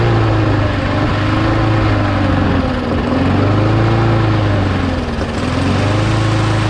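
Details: Mower engine after parts were blown out with compressed air and refitted, primed three times: steady running with a gentle even surge in pitch, no misses or knocks; runs, though the primer still isn't priming.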